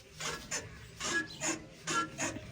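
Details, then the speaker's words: Massey Ferguson 245 Planetary Plus tractor, engine quiet: paired rasping squeaks with each clutch pedal stroke over three down-and-up cycles, a squeak that persists even after greasing. "ये जो आप clutch की आवाज़ देख रहे हो, तो कई भाई साहब इसको कंपनी वगैरह में ले जाते हैं, क्या दिक्कत है, क्योंकि ग्रीस वगैरह करने के बाद भी जो ये आवाज़ है वो नहीं जाती है।"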